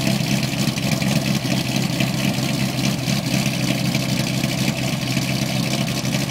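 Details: 2008 Corvette coupe, cammed LS3, LG street series headers, high-flow cats, NPP dual-mode exhaust, leak fixed, cold start idle: loud, choppy lope about twice a second with no ticking or puffing; healthy.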